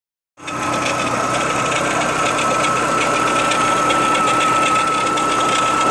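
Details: Renault Clio 182 petrol, 67k miles, belt replaced at correct intervals, idling: steady high whine with light quick ticking about four a second from top left near a pulley; owner wonders if early dephaser failure, unconfirmed.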